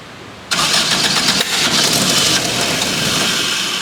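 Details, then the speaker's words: Dune buggy during tuning, trigger offset corrected to 70 degrees so the engine now syncs where it would not before: starter cranks, it catches at once and holds a steady even idle; startup tuning still unfinished. "Still got a little bit more to do, but it's synced. It's running. It's alive."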